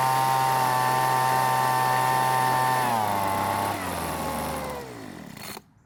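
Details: Weed Eater leaf blower that would not start after long storage, running after carburetor adjustment: a clean, steady high-rev two-stroke note that winds down smoothly; runs healthy.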